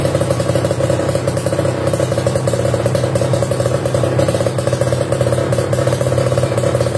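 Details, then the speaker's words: Kawasaki Ninja RR New two-stroke fitted with a KDX racing exhaust, held at steady revs with a crisp, raspy, even crackle; healthy rev. The pipe's C-type neck hits the front fender. "Oke sip, suaranya cakep banget ya tadi ya."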